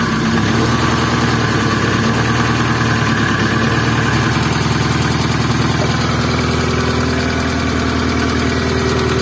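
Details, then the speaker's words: Opel C20XE engine in a Moskvich, cleaned hydraulic lifters, first start on a very cold day: fast light tapping that comes and goes as lifters pump up with oil pressure; hydraulic lifter tick. "есть со нормальная гидрик периодически затихает оно прокачивается что вот уже гидрид прокачался"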